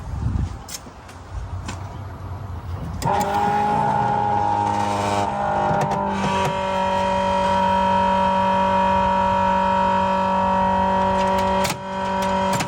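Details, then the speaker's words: 1973 Dodge Dart with rebuilt 360 V8 on first drive after the swap: loud deep idle, steady and even with no knocks or misses; very loud exhaust, running great. "all right running great it's extremely loud I can still hear it um but everything seems good"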